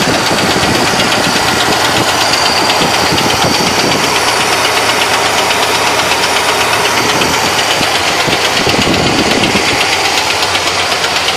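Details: 1970 Malibu with a small-block Chevy 350 V8 at idle: heavy, sharp metallic knocking about three times a second, like a screwdriver handle striking the engine. The source of the loud internal knock is still being located.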